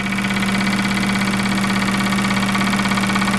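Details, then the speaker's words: Bench flow test on the turbo K24 Civic EP3's fuel injectors: a known-good Bosch 2200 buzzes steadily with strong spray hiss, sounding angrier than the customer's suspect injectors, which flow almost no fuel. "I don't know if you can tell a pitch difference between these but this sounds way more pissed off than these three so just just for the hell of it I'm going to show you guys what a actual Bosch 2200 flows"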